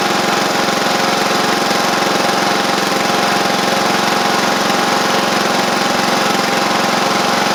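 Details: Sabre riding mower after repair (drive belt and blades replaced, a large oil pool cleaned up) gives a steady single-cylinder putter at constant speed with no knocks, misses or surges. Caked-on oil is burning off through the exhaust. It runs normally.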